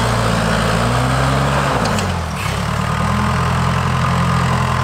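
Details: Case 550 dozer, first start and use in about two and a half years, clearing trees: a steady diesel drone that dips briefly under load, then picks right back up evenly; the engine runs clean and healthy.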